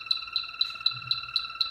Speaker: listen for it speeding up you hear it speeding up and now that's at the bottom of the baseboard right the concrete and the the you know right there at the bottom so you don't think that h10 works just you can listen to it speed up there you go the h10 at work